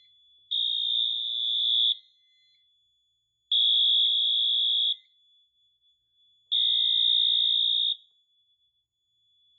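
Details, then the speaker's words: Notifier NFS-320C fire alarm panel in a cross-zone releasing demo: the AMT horn sounds for about 1.5 seconds, pauses equally long, and repeats in slow march time, meaning one detector is in alarm. "When one detector alarms, the AMT will sound its horn tone in slow march time."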